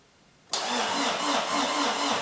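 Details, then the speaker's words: Peugeot 205 diesel (Nomad'raid 2024 car), cranked on the starter with the pump electrovalve disconnected: turns freely at a steady, even compression pulse, no binding or seizing; cranking noise sounds fairly correct. "il tourne il a pas bloqué déjà et le bruit il est plutôt correct"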